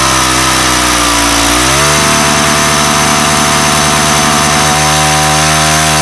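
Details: Weathered 29cc four-stroke Craftsman Speed Start curved-shaft trimmer, run after checking the oil level, suspected oil leak: runs fast and buzzy with no throttle, pitch climbing then holding high; idle speed set far too high.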